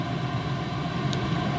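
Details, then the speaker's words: Chinese diesel heater, about 5 years old, after a broken glow plug repair and de-coke, on fresh red diesel, running 14 minutes at full output. Steady, even burner and fan roar with no surging or misfiring; running properly. "it just fired up literally and it's running a good clean exhaust this is on Full chat by the way"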